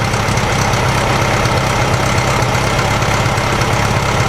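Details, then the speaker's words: 1956 VW Beetle air-cooled flat-four with open exhaust pipe, idling after a screwed-up spark plug cap was fixed; it had a dead cylinder at low rpm that caused rough idle. Now an even, throaty, slightly farty idle, though it still isn't revving up properly. "Yeah, that sounds different already. The idle sounds completely different. Yeah, now that sounds like a Volkswagen. It's got that throaty little farty sound."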